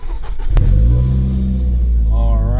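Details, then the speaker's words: Nissan Sentra 2.5 after replacing the ignition coil for a P0301 cylinder 1 misfire, hot day, driving: engine pulls cleanly with an even note rising through the revs, no sputter or misfire; normal running. "no more sputtering so far is running pretty good no misfires excellent and that's what we want to hear"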